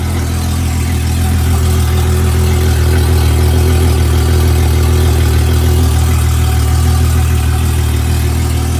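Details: 21ft boat with Honda 250HP outboard, long unrun, starting after fixing a missing battery ground connection; even, steady low drone with no misses, knocks or surges; normal running.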